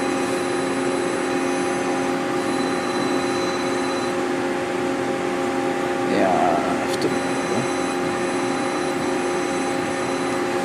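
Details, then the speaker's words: X-axis jogged at 100% rapid in jog mode; clean steady drive whine with one brief swoop midway, no grinding or knocking; axis traverses smoothly and sounds okay. "okay but we the next exit sounds okay everything is okay on that"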